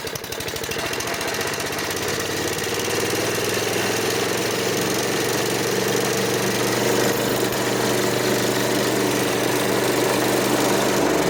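Single-cylinder engine picks up and holds a steady, even buzz with no misses or surging; running properly on the new carburetor.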